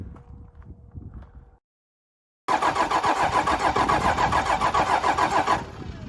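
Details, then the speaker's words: 12-valve Cummins diesel in a rollback tow truck, rebuilt with budget aftermarket pistons: steady cranking about three and a half turns a second but it never catches. Suspected air remaining in the injector lines; crank no start. "the only conclusion I can come to is there's more air in the line so I'm cracking them loose again"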